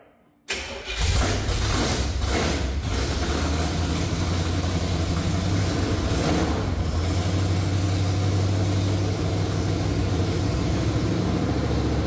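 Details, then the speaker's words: 1968–69 Chevrolet C50 truck engine cranks, catches and runs a rough, uneven low idle only on hand-poured fuel; the fuel pump draws fuel from the tank to the carburetor, so the carburetor likely needs a rebuild kit. "you need fuel I think that's the issue but it's running or a working fuel pump well the fuel pump's working okay it's got fuel right up here too"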